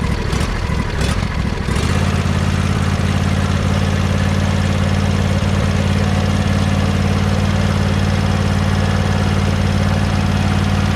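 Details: John Deere 100 Series lawn tractor engine idling, recorded near the muffler after a valve adjustment (valves had been tight): brief start-up roughness, then a smooth, steady idle with a faint light tick still present; normal idle.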